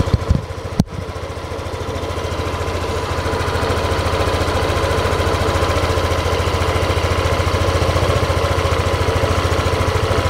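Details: Yamaha Aerox scooter after sensor setting (CKP, injector) via Android tool: a few startup clatters then even, steady putter about three beats a second; smooth idle.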